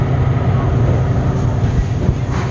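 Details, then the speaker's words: Bad refrigeration compressor on a service call, drawing locked rotor amps versus about 10 A when running: a heavy low hum and rumble with no run-up to normal operation; the compressor is mechanically locked and fails to start. "$29, that time it didn't start. Yep. Locked rotor amps, LRA."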